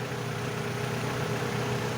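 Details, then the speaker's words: After adding a metal-coating engine additive, the owner's Sportage diesel idles with a steady low rumble and no ticking; before the additive it had a loud rapid ticking. "อ่ะเรามาดูกันนะครับหลังจากที่เราเติมสารเคลือบ7ตัวนี้ลงไปในเครื่องยนต์แล้วนะครับรู้สึกว่าไม่มีเสียงดังนะ"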